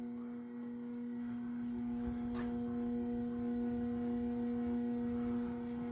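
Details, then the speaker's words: Early-1980s CEC-made Moss Heirloom Olympus 52-inch ceiling fan above medium on variable speed control: steady low electrical buzz under quiet whoosh, still quite noisy; speed control makes the motor hum. "Still quite noisy. [Music] If I ever were to use this fan, I'd definitely have to put it on a wall control."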